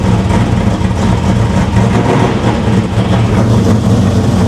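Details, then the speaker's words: 500 hp 1987 Chevy Monte Carlo SS V8 just after first startup, flooded with the choke still on; deep idle with an uneven, loping, surging beat, running rough while it clears excess fuel. "Like I said, she's flooded. Give her a minute to kind of clear out. She's definitely running a little rough."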